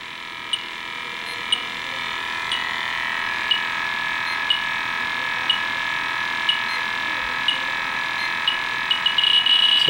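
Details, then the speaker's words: Fieldpiece SRL-8 refrigerant leak detector tested on a Yellow Jacket HFC reference leak (gel). Steady high whine with a tick about once a second that speeds up as it alarms. "it turns red as about a inch and a quarter away [Applause] so we've got quite a bit better sensitivity on the test oh"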